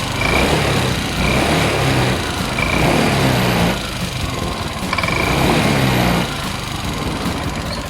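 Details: Honda Click 125i fuel-injected scooter after repair of hard starting, poor acceleration, hesitation and stalling (pressure regulator in original pump suspected); small engine runs steadily with light throttle blips, pulling cleanly without stumbling or cutting out.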